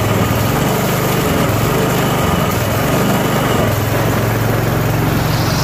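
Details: Self-propelled lawn mower, first spring start after winter storage and tune-up (oil, spark plug, Seafoam), cold at about 40°F on choke: steady, even single-cylinder putter holding one speed, no misses or surging; normal idle.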